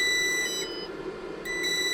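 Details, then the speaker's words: Inverter on a Grener 12.8V 100Ah LiFePO4 battery, running a heater on medium, dropping to 9.9V after about 1h19m: shrill high beep, pause, beep again, then shutdown; low-voltage cutoff alarm. "The alarm says we're going to be shutting down here any second now. There it is. It's off."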